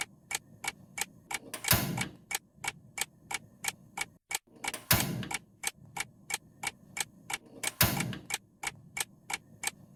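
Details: Gas stove burner after cleaning clogged, dirty flame head to fix small flame, lit repeatedly as a test: crisp steady igniter ticks about two a second, soft whoosh of flame catching every three seconds; burner lights cleanly.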